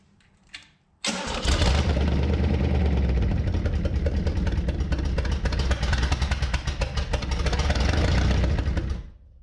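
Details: Barn-find Chevy 327, sitting since the 1990s, on a new engine run stand with a fresh battery and carb cleaner: steady fast cranking, about three turns a second, uneven low chugs but no sustained firing; cranks without starting.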